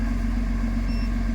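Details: Backhoe excavator that the operator reported as low on power and smoking under load, started after fuel system repairs and clearing its fault code: steady, even low diesel idle with no misses, knocks or hunting; no fault code has returned so far.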